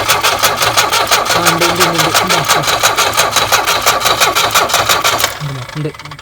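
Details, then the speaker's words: Tata Sumo direct-injection diesel cold start after sitting through the Corona period; steady starter cranking about three beats a second with no catch while injector lines are loosened one cylinder at a time to bleed air: crank no start during bleeding. "പൊട്ടിക്കാണ്, air ഒഴിവാക്കണം. അതെ. ഒന്നിൽ diesel വരുന്നുണ്ട്, രണ്ട് ഊരിയില്ലേ?"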